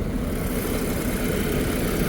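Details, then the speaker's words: 2007 VW Passat Wagon 2.0T, 116,000 miles, warm idle after sitting a week: smooth even hum, no knocks, ticks or misses; healthy, with no cooling or head gasket issues noted. "no real issues I mean it just runs good just runs good no cooling issues no head gasket issues"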